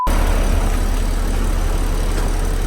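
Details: BMW 335i idling after oil filter housing gasket replacement and a new belt tensioner, engine cover off: a fast, light ticking rides on top of the idle and follows engine speed. The injectors sound loud; cause not yet known.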